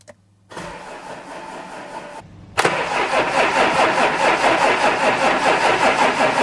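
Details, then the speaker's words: Audi A7 3.0 TDI with newly fitted brand-new engine, first turnover in neutral with a fuse pulled so no fuel: steady even starter cranking about 2.5 turns a second, no firing. "I hate that noise um no fuel should turn over oils in car let's do it"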